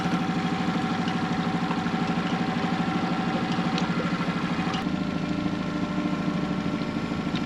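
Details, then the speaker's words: Hood 23 sailboat 'Manumitter' outboard, just repaired after earlier problems, on a shakedown cruise after leaving the wharf: even putter of about three beats a second, steady with no stumbles or dropouts; running smoothly. "Much better. And you can see how that was so important that the motor was doing what it's meant to do, because it only takes a little bit of wind here or there, a little bit of a current, and the boat, when it's moving very slowly, is going where the momentum takes it."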